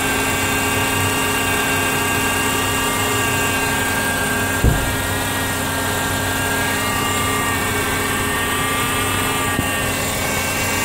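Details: 2007 Honda CR-V: steady high power-steering pump whine over the running engine, changing pitch as the steering is turned, worse after long drives; bubbles in the reservoir; fixed by flipping the pump O-ring.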